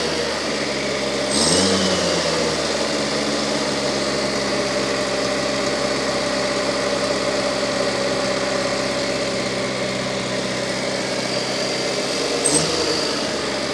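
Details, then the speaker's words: Fiat 600 engine test run, oil pressure relief valve suspected misassembled and an oil seal leak pending an O-ring: steady running with brief rev blips, no knocks or rattles; sounds quite healthy. "But it sounds quite healthy."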